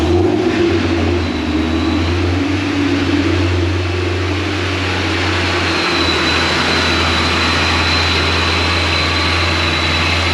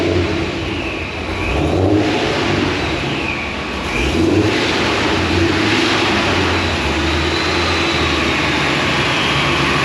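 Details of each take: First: Supercharged Pontiac GTO at the dyno as tuning starts. Loud low idle that swells and sags in pitch every few seconds instead of holding steady. Idle surging. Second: Pontiac GTO with large injectors, idling after being tuned on the dyno; owner says it never idled like this before. Steady, even idle with no hunting or surge. Smooth idle, surging gone.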